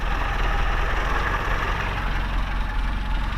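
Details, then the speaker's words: 1986 Peugeot 205 small four-cylinder starting first try after an oil change (5 L, level at three-quarters), catching and holding a steady, even low idle with no rattle or misfire; healthy idle. "allez je démarre du premier coup ça n'a pas l'air de cuire donc"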